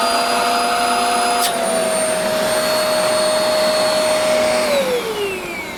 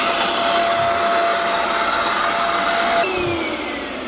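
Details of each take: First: Shark vacuum cleaner after clearing a plugged hose: steady high motor whine with strong airflow rush, even until spin-down; suction restored and healthy. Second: Shark Euro-Pro vacuum cleaner after emptying a plugged canister: steady high motor whine with thin strained airflow shifting partway; still weak suction, traced to a blocked hose.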